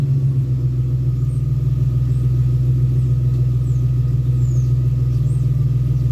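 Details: 2001 Ford Ranger XLT 4.0 V6, a morning crank-no-start with fuel, ignition and sensor parts already replaced and fuel pressure and compression checked: once it starts, a steady, even low rumble with no misses, knocks or ticks. Healthy idle.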